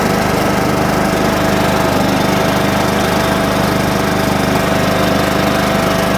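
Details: John Deere mower, cold start on a 47° morning after sitting with a weakening battery: small single-cylinder runs steadily at an even fast beat with no misses or knocks; running well while warming up.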